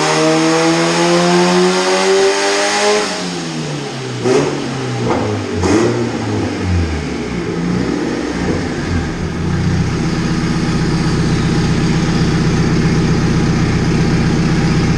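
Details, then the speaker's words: Michael's red Honda Civic on the dyno under load: revs climb, then two or three sharp pops break up the pull before settling to a steady drone; running far too rich, about 10–10.2 air/fuel, popping on fuel, needs fuel trimmed out. "it's really kinda breaking off because it's so rich it's like a 1020 air/fuel it's popping on fuel right now"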